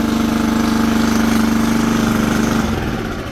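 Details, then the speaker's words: Toro 20383 Super Recycler mower, Toro-branded Loncin single-cylinder engine with auto choke, first pull after a twig jamming the choke flap open was found, fresh gas added. Small single thumps at a steady even beat, no misses or surging, then winds down smoothly. "yeah she sounds great that was like it started before I even had pulled this"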